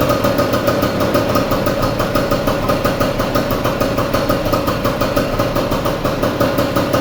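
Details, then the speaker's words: Vespa 150 restarted after repair of a loud engine noise from a broken elastic pinion. The two-stroke idles smoothly and regularly with no rattles, knocks or gear noise, running "like a Swiss watch." "Es un reloj suizo."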